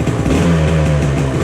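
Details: 1997 Kawasaki KDX220 two-stroke dirt bike, brought in sputtering with poor throttle response, revs with a thick, muffled drone. It is running too rich and smoking, even after rejetting, while the carburettor is being tuned.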